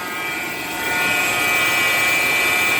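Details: Alternator on the serpentine belt makes a steady high-pitched buzzing whine over the idling engine, louder up close; the alternator is suspected, not confirmed.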